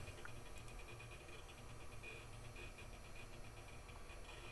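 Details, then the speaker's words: Telstar desktop, probably late 1990s, running Windows 98: quiet rapid chirpy ticking in a regular pitched pattern under low hum during boot; normal hard drive head seeks. "That hard drive is making music."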